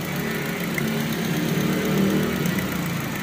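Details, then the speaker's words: Toyota Vios idling after a misfire fix, with the injector found at fault: steady, even idle with a smooth low hum and no stumble or misfire beat; cylinders now even, no longer near stalling. "Sakto lang oh yan dati pagka hinuhugot yan mapag ng husto pero ngayon okay na siya no"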